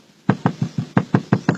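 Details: Honda Jazz: eight hollow plastic knocks, about six a second, as the front console by the driver is pressed; a loose part inside the dash knocks on rough roads, owner suspects stuffing foam inside could fix it.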